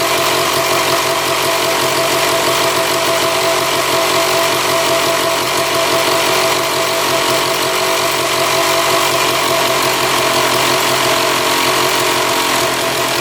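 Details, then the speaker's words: 1995 Honda CR250 two-stroke with a bad bog, idling while brake cleaner is sprayed around the intake boot and manifold. A steady, even beat with no surge or dip shows no air leak; the idle also held with the pipe off. "yeah so I don't think it's an air leak we went around all the spots and uh the idle stayed pretty consistent"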